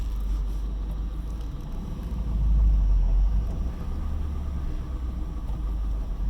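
Deep, uneven idle rumble whose beat wavers and swells instead of holding steady, a rough-running engine with no clear cause.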